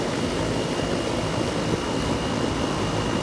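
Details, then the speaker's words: Goodman HVAC outdoor unit after no-cooling service call, capacitor job: even, steady roar with faint constant high tone, no knocks or rattles; compressor and condenser fan running normally. "if it fires up and cools and i hear the compressor and the fan now"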